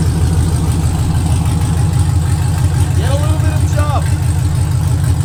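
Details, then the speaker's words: 2022 Camaro LT1 6th gen, 10-speed, first start after BBK long-tube headers, P0171 lean code: deep lumpy V8 idle with an uneven metallic knock about three times a second from a loose heat-shield clamp on the secondary cats. "that noise that sounds like the motor's about to send a rod to God is actually just one of the heat shield clamps on the secondary cats that we didn't tighten back down so it's vibrating at idle like crazy"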